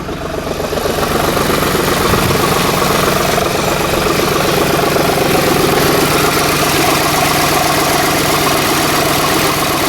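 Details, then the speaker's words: 2010 Ford F-150 4.6 V8 on its first start after a front end rebuild with timing chain and guides, idling around 1,000 rpm with oil pressure up. Uneven, stumbling, lumpy beat from a miss; owner bets a broken coil, not confirmed. "Sounds alright. I got a mist, and I bet you it's this coil here that's broken, but that mist may go away."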